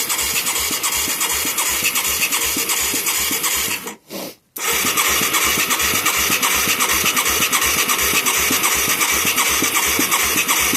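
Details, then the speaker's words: Mid-1980s Yamaha YFM200 Moto 4 with new carburetor and plug, battery possibly not charged; slow, even cranking about two to three turns a second, never fires, plug wet with fuel. "Uh-oh. Sure ain't cranking very fast. If I'm getting any gas. Oh yeah, that's wet."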